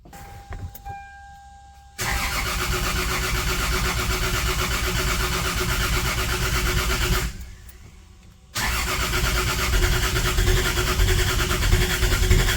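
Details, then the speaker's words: Lexus GS300 after first engine rebuild (ARP head studs, Supra head gasket, new bearings, rings, seals), timing realigned: steady starter cranking about 3.5 turns a second, faint firing attempts, never catches. "damn that damn near went off okay i did not expect that it actually tried to uh fire"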